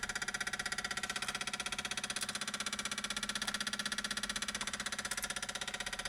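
A fast, very even mechanical ticking, about four per second, with no engine running underneath; the source of this noise after shut-off is unknown.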